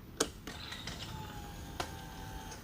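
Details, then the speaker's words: SCAG Cheetah II mower, new replacement high-pressure fuel pump priming: faint steady high whine with a few sharp clicks as fuel is heard going into the system; normal priming. "There we go. Yeah, I can definitely hear the fuel going into the system."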